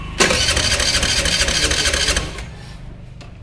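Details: TVS Jupiter BS6 scooter with starting problem: starter spins the engine in a fast two-second whirring burst but it never fires; fuel pump runs under a second instead of two to three seconds at key-on, needs replacing.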